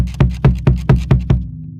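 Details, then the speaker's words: Pearl Eliminator Demon Drive bass drum pedal, about a month old, develops a clicky rattle over the kick thud when the foot lifts off under hard playing; the plate wiggles slightly though all lugs are tight, and the rattle bleeds into the mics. "I know that this is tight all of these are secure but I move the plate and it has a little wiggle I don't know so it's fine when my foot is flat if I come off of it a little"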